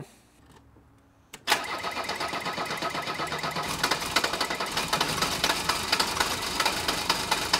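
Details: Mercedes 123 diesel "Digby", starting: barks into life then uneven, lumpy idle with irregular clattering knocks; still running rough and smoking a lot, cause not yet found, EGR valve under discussion.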